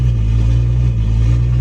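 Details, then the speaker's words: BMW 135i N55 after a new cylinder head, codes cleared, during Valvetronic learning cycles with no check engine light: smooth, steady low idle hum of constant pitch with no ticks, stumbles or misses, getting cleaner; normal idle. "You can hear the idle getting a little bit cleaner too as the car is running through the cycles."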